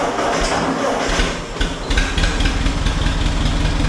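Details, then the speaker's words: 1951 Ford 8N tractor, started in neutral after carburetor work: a lumpy, uneven idle with beats dropping out; a misfire from a couple of misplaced spark plug wires, and it sounds better after swapping them. "all right we're not running on all cylinders there were a couple spark plug wires that looked like they weren't in the right spot"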